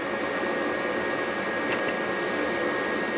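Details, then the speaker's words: Rheem gas furnace at start of heat call: inducer (induced draft) motor runs a steady even whoosh with faint hum for pre-purge after pressure switch checked open, no rattle or scraping; normal inducer operation. "you hear the induced draft motor come on before it does that it's gonna make sure the pressure switch is open"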